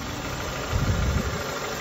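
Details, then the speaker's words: Honda Accord, 173k miles, after throttle body service for rough running: steady low idle with a brief swell, no misfire; running much better though still in limp mode. "yeah she's pretty good now you guys she's running great"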